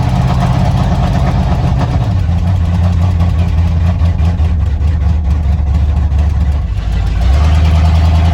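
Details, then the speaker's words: 1987 Ford Bronco XLT, cammed 351W with Holley 4-barrel double pumper, headers and straight-piped true duals, first start after sitting all winter: low, uneven, lumpy idle stumbling with misfires, steadying as it clears up. "on Eddie hey what is he this firing talk about misfires Eddie did not like hibernating for winter I could tell you that right now"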